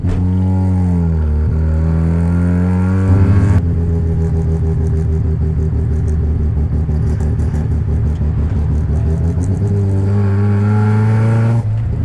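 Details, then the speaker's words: Home-built 13B rotary with carburetor, first test drive, fuel gauge on empty: revs then bogs into an uneven, stumbling drone under load without clean pickup; carburetor starving for fuel, running lean. "he's lean as [ __ ] right it's pretty lean something's up righty so um first test drive didn't go very well I can just feel um instantly that the um carburetor is fully starving for fuel"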